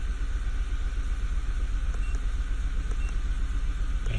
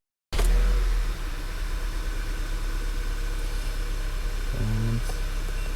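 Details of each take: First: 2011 VW Tiguan 2.0 at idle: rough, loping idle with an uneven low thump about four times a second; cylinders 3 and 4 misfiring (P0300), coil swap confirmed a bad ignition coil; coils and spark plugs replaced. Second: 2011 VW Tiguan 2.0 after replacing ignition coils and spark plugs for cylinder 2 and 4 misfires, codes cleared: starter catches at once and settles into a steady, even idle with no stumble or miss; repair fixed the misfire.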